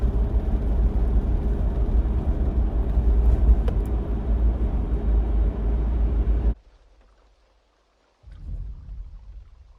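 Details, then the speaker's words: 4th gen Toyota 4Runner: deep pulsing in-cab rumble-strip vibration at low speed and low rpm under light throttle on a smooth slight uphill; torque converter shudder, fixed with Shudderfixx. "like you can see I mean this is why they give it the name a rumble strip uh transmission issue I mean that's exactly what it sounds like"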